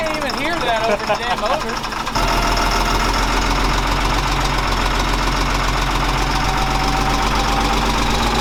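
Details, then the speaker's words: FMTV military truck bought at auction as non-running, first start attempt: after a brief start, the diesel settles into a loud, steady clattering idle that keeps running evenly; healthy diesel idle. "what is it you're making a face it's running now yeah i'm getting the hell out of the parking lot"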